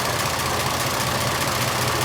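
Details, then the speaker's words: 1926 Oakland, running after 75 years, with the fuel and exhaust systems newly finished, about 10 minutes into running: a steady, even low idle with no misses or stumbles; the fuel system is working. "yep i think we're good i think our fuel system is functional it's been running about 10 minutes now"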